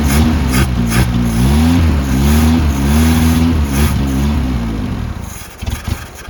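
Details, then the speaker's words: 1977 Honda CVCC with a Weber 32/36 carburettor replacing the stock CVCC carb, first run in 11 years, exhaust cut off to a straight pipe: steady lumpy rumble, loud raw note, revs rising and falling cleanly; running healthily. "bam sounds good it's a tad bit loud because uh we're just running a straight pipe the eight pipe ends right there and the exhaust is cut off"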